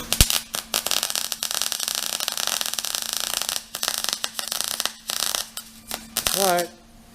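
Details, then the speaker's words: MIG welder with too much heat, setting being turned down while wire speed is kept: crackling arc broken by uneven pops and short gaps instead of a steady sizzle; weld still running too hot, cause suspected, not confirmed. "i feel like it's still too hot"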